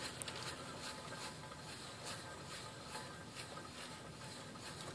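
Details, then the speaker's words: 2001 Toyota Prius with the axle out, wheel hub spun by hand. A faint gritty sandpaper-like rasp pulses about twice a second from the bad wheel bearing; it was loud from about 30 mph and is to be replaced. "as you can hear the the bearing is bad inside i'm not sure if it's picking up on the camera but it has a like a sandpaper grinding sound"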